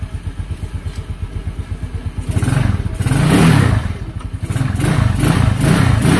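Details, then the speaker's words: Mio Sporty scooter after a carburetor cleaning, cold and not yet warmed up: a ticking idle of about three pulses a second swells into clean revs and drops back, with no popping or missing; normal, steady revving. "Okay, pansinin nyo, talagang ano siya, cold start yan mga kaduit ha, hindi pa siya nawa-warm up, ngayon pa lang, kaya steady na"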